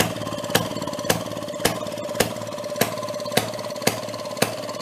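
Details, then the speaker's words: 1937 Maytag two-stroke washing-machine engine: switched from closed to open, sharp firing cracks roughly twice a second over a ringing clatter, slightly uneven spacing, kicking out fire and sparks; running rough, owner hopes rings aren't burning up. "I tried switching it over to open and it started breaking up but it's kicking out a lot of Fire I'm hoping that the Rings aren't burning up"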